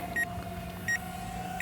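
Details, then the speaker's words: UDI U31W Navigator WiFi FPV drone in flight; short high beeps about every 0.7 seconds over a steady motor hum, the LVC low-battery warning, after which the drone lands itself. "Uh oh, we're getting uh LVC"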